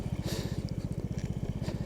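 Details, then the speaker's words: 2007 GY6 150cc scooter with very high mileage, oil only topped off, after repairs: steady, even single-cylinder idle at a quick rate with no misses or knocks and no exhaust smoke; healthy idle. "I am actually amazed like let's get over to the exhaust side like it's not even blowing smoke like holy crap"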